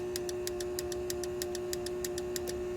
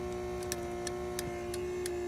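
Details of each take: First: 1998 C5 Corvette after hazard switch replacement, turn signals: crisp clicks about six per second, roughly double normal flash speed, over a faint hum; front bulbs not lighting, missing or burnt bulbs suspected. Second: 1998 C5 Corvette after hazard switch replacement (hazard flasher shares turn signal circuit): crisp, evenly spaced ticks about three a second over a faint hum; four-way flasher clicking normally, rear lights working.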